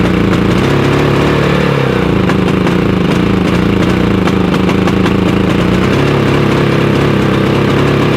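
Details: Harbor Freight Predator 5000 generator (off-grid home backup) running on gasoline. It backfires on propane but runs the same on both fuels. It gives a steady single-cylinder drone with an uneven, wavering beat and a stumble near six seconds: rough running, cause unclear (owner suspects fuel/air flow issue).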